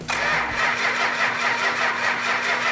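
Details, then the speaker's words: 440 engine, first crank with fuel pump on and oil pressure; steady rhythmic starter whirr that never fires; crank no start, no spark due to a faulty ignition coil. "yeah we got no spark the fact that the 440 didn't fire right off is because of a faulty coil"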